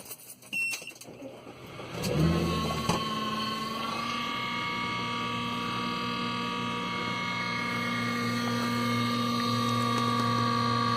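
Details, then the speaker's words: Steady high whine from the in-car DVR right after ignition is switched on, even pitch over a quiet cabin; same noise as before the hard drive was changed, internal fan suspected. "it's the exact same noise before you change the harddrive so maybe it's the internal fan anyways thought you might want to hear it"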